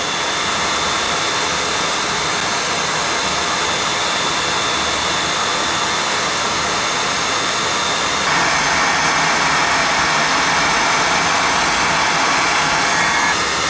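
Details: Riello burner on a Burnham boiler, fired up during annual service to check draft: steady even roar with light hiss and a slight lift partway, no pulsing or rumble; firing cleanly.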